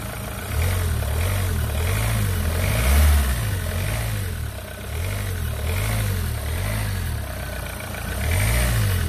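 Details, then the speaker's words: Renault Clio 3 1.5 dCi 85 hp diesel with 300,000 km, after the alternator was refitted to cure an engine noise: blips up and drops back cleanly with no whine, squeal or rattle; the noise was from the alternator and is gone. "c'est bon c'est bon c'était bien l'alternateur"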